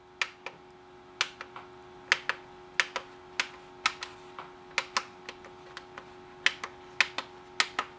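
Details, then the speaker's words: Replacement tactile switches on a 1980s M&S Systems N350 music intercom master station, some caps pushed further onto their stems, pressed one by one: crisp, even clicks in quick pairs, about two presses a second, each snapping cleanly; buttons working normally. "poking through nicely now we'll go through and press each one to make sure they all click"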